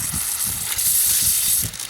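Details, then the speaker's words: Drip irrigation line under a bush: steady sharp hiss with light spatter, no rhythm or pitch change; pressurized water spraying downward from a leak at the bottom of a pipe coupling. "you hear that noise listen to that it sounds like it's it sounds like it's right in here and see here's here's the pipe and it's just going like full steam ahead"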